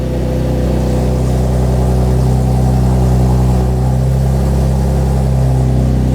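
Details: 2012 Chevrolet Camaro V6 after alternator and serpentine belt replacement, idling while charging is checked: smooth, even low hum at a steady pitch with no knocks, ticks or squeals, a normal idle.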